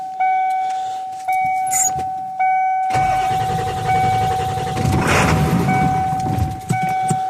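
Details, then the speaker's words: 1995 Ford F250 7.3L turbo diesel, cold night parked on a hill, empty fuel filter bowl refilled, ether sprayed: door chime, then laboured cranking with one brief stumbling catch that dies; crank no start from lost fuel prime and air in the lines. "We got a fire. She ain't gonna go, guys."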